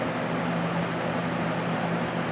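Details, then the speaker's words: 1989 Lasko Galaxy box fan model 3723, plastic motor housing, oiled dry bearings, on high: steady even air whoosh and low constant motor hum, no ticking; runs quiet and smooth. "Mine's quiet and it doesn't sound all that, special, but others are louder, especially the older ones, and I'll show that. But as you can hear, It's nice and quiet."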